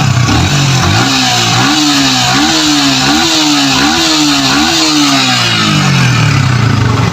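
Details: Yamaha Vixion after repairing a rough-running engine (block slightly scored), with oil, oil filter and radiator coolant attended to: smooth, even revs climb and fall cleanly with no knocking, ticking or rattle; healthy, even running.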